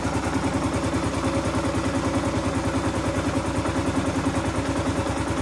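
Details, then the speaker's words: 2015 Kawasaki KLR 650 single, warm, idle screw turned counterclockwise in micro increments after a choke adjustment; steady even idle at about three firing beats a second, smoothed out. "It has, I don't know if you can hear it, but it did smooth out."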